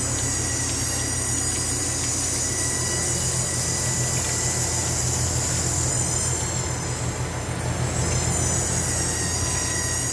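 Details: Goodman AC condenser running: continuous high-pitched squeal over steady compressor and fan hum, goes away when the condenser coil is wetted, fan not wetted; owner suspects valving or compressor, source unclear.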